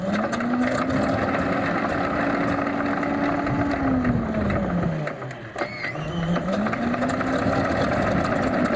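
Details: Alvis Leonides Mk 25 radial engine in Percival P.56 Provost trainer, start-up after fuel priming and all-plug spark start: even, throbbing beat rising, easing, dipping briefly then picking up cleanly. Normal radial engine running.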